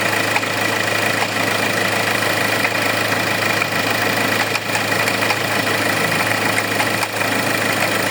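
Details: Hyundai with noise from the engine blamed on a faulty alternator pulley. Steady idle with a loose, uneven rattling tick over it, not locked to firing.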